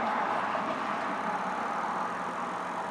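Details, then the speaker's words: 2007 Toyota Tacoma with A/C blowing no air, after the blower motor harness connector was reconnected. Key on, engine off, blower on low: smooth, even, airy whir at steady pitch, no ticking or scraping; blower motor running normally. "yep i heard the motor running it seems to be"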